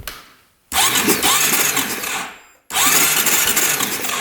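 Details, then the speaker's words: 2012 Honda Rancher 420 4x4 ATV that cranks freely after its starter was freed up: two bursts of fast cranking that never fire; there is no spark at the plug and the kill switch works, so a bad ground is suspected. "nothing no spark at all nothing not even a little bit"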